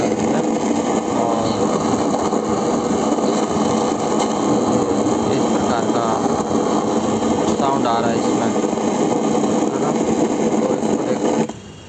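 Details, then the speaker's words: Tower home theatre: steady loud hiss with no audio output; cause not yet found, Bluetooth audio kit to be disconnected to test; speaker hiss with no audio. "इसमें सरसराहट की आवाज आ रही है और कोई sound नहीं आ रहा है।"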